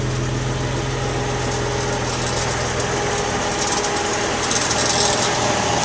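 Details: 2001 Suzuki XL7: rapid uneven creak, about three to four beats a second, over steady engine hum at very low throttle, even in park or neutral, worse as the car warms up; source unknown.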